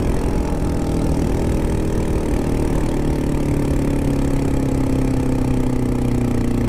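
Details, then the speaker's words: 2002 Honda CBR600 F4i at idle: choppy, irregular lawnmower-like running, losing power, owner fears it blew up; engine knocking and misfire at idle, cause not yet known. "My bike is done. She's knocking. I blew it up. Oh yeah, she's losing power. Misfiring or knocking or something."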